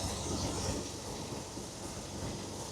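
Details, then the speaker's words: 1970 Jaguar XJ6 six-cylinder with SU carburettors just redone after MOT failure, idling about 900 rpm, choke a bit tight, owner hopes not the needles; steady even idle, no hunting, carbs sound balanced; normal idle. "You can see it's idling sort of 900 RPM. The choke was a bit tight on it. I'm hoping it's not the needles. You can hear it's running really nice now."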